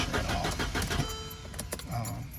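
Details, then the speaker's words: Mercedes cranks at an even, brisk rhythm but never fires; scan tool shows low-side fuel pressure 72 PSI but no rail pressure while cranking, so no fuel reaching the rail, either out of fuel or bad high-pressure fuel pump behind the engine; crank no start. "so this thing is not getting fuel. Could be out of fuel or could have a bad high-pressure fuel pump."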